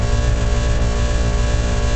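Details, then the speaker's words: Outdoor heat pump running: steady low even hum, no rattle or buzz. Normal quiet running. "it's vibration that carries through most of the time to uh door you can hear how quiet this is"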